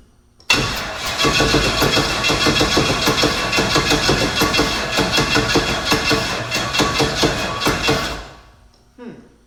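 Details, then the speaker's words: Big block Chevy jet boat engine, first start attempt with starting fluid: steady starter churn about eight seconds with no firing, then stops; no spark because the dead man kill-switch lanyard wasn't in. "Starting to think we don't have spark. This is why I can't be out in the shop by myself this late at night. We don't have spark because the dead man switch isn't in it."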